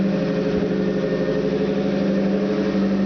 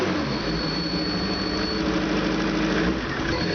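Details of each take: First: Opel 2.4 with Motronic fuel injection and a 60mm Nissan throttle body, about a minute after a cold start, just after fixing intake manifold vacuum leaks caused by chrome ridges. Fast idle around 1200 rpm, a steady hum with a faint high-pitched whistle still heard. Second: Opel 2.4 Motronic fuel-injected engine with a 60 mm Nissan throttle body, after fixing intake manifold vacuum leaks, idling about 1200 then revving: revs rise and fall while a thin high whistle comes and goes; another vacuum leak suspected.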